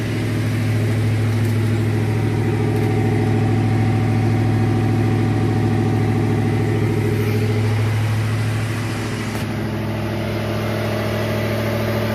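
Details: 2007 Ford F-150 5.4L V8 after misfire fix (broken spark plug found; timing chain kit, new high-pressure oil pump, coils, injectors, cam phaser lockout with tune done): smooth, even idle with steady low hum, no misfires counted.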